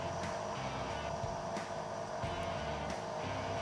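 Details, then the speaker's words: JetStream CIJ printer ink replenishment pump switched on during ink delivery troubleshooting: fairly loud steady mechanical drone with constant tone and soft periodic thumps; pump running, not seized. "so if i click on we should hear that pump running again it's fairly loud"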